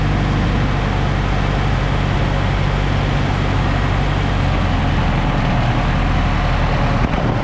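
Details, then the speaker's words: Newly bought project car after gasket work and reassembly; steady even hum at elevated idle, set down lower than ever before; blocking the idle air control valve hole with a finger drops it to normal idle, so the valve is faulty. "okay so let's set down to two that's a lot lower than it's ever idled before but you notice when i put my hole my finger in the hole for the idle air control valve it goes down even lower"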